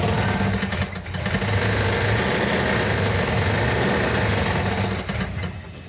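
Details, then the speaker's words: 1970 Plymouth Cuda 340 V8, engine built about a year earlier and left sitting, on first fire-up: lumpy, uneven loping idle with dropping pulses, running on about six cylinders; compression test found low compression causing the misfire. "When we initially fired it off, it was running on about six cylinders. So we did a quick compression test to find out it had low compression on it."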